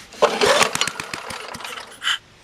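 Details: Craftsman 21-inch mower with Tecumseh engine, left out in rain, air filter off, poor choke and doubtful primer: catches with rapid firing rattle, then slows and dies within two seconds, surging rather than holding speed; cause unconfirmed.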